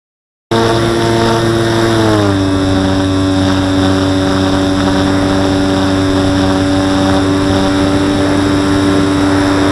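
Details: Model aircraft in flight: steady motor drone dropping slightly in pitch with a buzzy edge when climbing or hard banking, like elastic bands vibrating; owner suspects wing lifting from fuselage, wings not visibly flexing; cause unknown.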